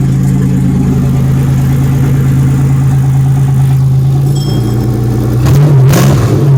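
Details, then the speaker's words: 1997 Pontiac Grand Prix GTP V6 hotwired and run briefly without its main belt, holding a deep, steady, smooth idle with no knocks or stumbles and a brief blip. It is killed by disconnecting the ignition wires. "but man she's running smooth and then to kill it i just disconnected two wires for the ignition and boom it's off"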